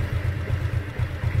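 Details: 2010 Yamaha Exciter single-swingarm motorcycle, first registered 2013, already sold: low, even thumping idle with a steady beat and no knocks or ticks on top; the engine sounds clean and healthy.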